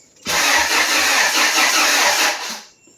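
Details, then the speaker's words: Rebuilt Honda F23 turbo big block on first crank with ECU fuse pulled so no fuel: starter churns with steady pulsing beat, no firing; normal cranking showing compression on at least two cylinders. "time sounds like it's got compression on at least two cylinders"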